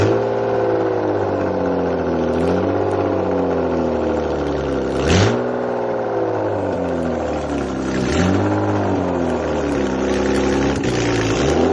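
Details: 1998 BMW E36 328i, rebuilt M52B28 six after head gasket replacement, first start on cheap break-in oil: settles into a steady idle, clean blips rising and falling smoothly, no knocks or misses; healthy.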